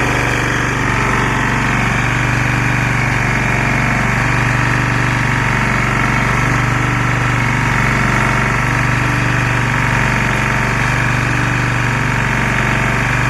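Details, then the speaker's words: Lombardini 6LD260 air-cooled single-cylinder diesel on a traffic sign, just cold-started after 10 years unused on fresh fuel, alternator charging battery; steady chug with faint periodic tone shift as the sign lights flash; normal idle under electrical load. "can hear the engine [Music] tone change a little bit as the light flashes"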